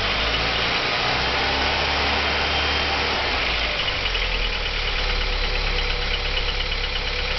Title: Стук двигателя Audi 80 B3 JN 1.8 1987